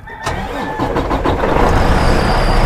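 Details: 2017 Freightliner Cascadia DD15 diesel, odometer reading 216,000 miles: quick crank, catches at once and settles to a smooth, even idle with no knock or miss.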